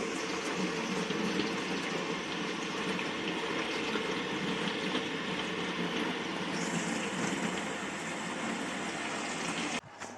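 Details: Old discontinued Bosch dishwasher that fills and hums but doesn't wash; steady rushing hiss of water pouring in, even and unbroken until the valve shuts off. Normal water fill.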